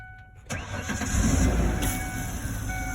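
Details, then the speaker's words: 2002 Ford Explorer 2-door after fuel pump repair: starter cranks steadily about four beats a second but never catches because the fuel rail line isn't fully on and pops off, spilling fuel. "oh [ __ ] it's on there that's for sure there's another half a gallon of fuel wasted i wonder if it's on all the way this time nope"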